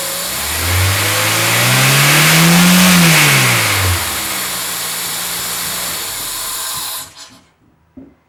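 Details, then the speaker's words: 2003 Acura RSX Type S with AEM cold air intake replacing stock airbox: engine revs smoothly up and back down with a deep, even intake roar, no misses or rattles; healthy revving. "I also put in HIDs and fog lights over there for those interested this is what the cold air intake sounds [Music] like"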